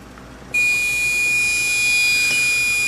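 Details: Desktop PC with AMD FX-4300 CPU, GTX 960 and 500W PSU: a steady, piercing high-pitched whine starts abruptly at unchanging pitch, source unknown; owner suspects the dusty processor fan.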